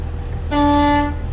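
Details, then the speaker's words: Class B truck at idle during an in-cab pre-trip inspection, voltmeter 13.9: one clean half-second loud horn blast over a low idle rumble; air horn working normally. "I'm going to blow my horns,"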